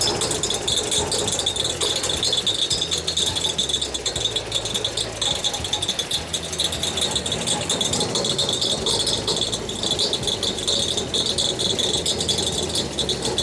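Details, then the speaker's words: Holden VK Commodore Berlina barn find, stored over 10 years, first run with coolant cap off: constant bright tinny rattle and dinging over idle; suspected fan hitting something, not confirmed. Smoke from trans fluid burning off. "I think that dinging is the fan hitting something but it seems a bit weird"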